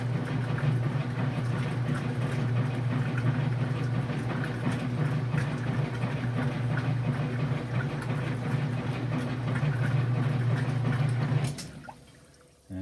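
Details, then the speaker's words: Kenmore 500 washer, model 110.29592801, after repair for grinding noise and clothes wrapping the agitator (clutch reinstalled with retainer and support rings, thrust washer replaced), loaded with water and clothes: even, smooth agitation hum, no grinding; noise gone, clothes no longer wrapping. "I threw some clothes in just to see if that noise is going to happen, and the sound seems to be gone."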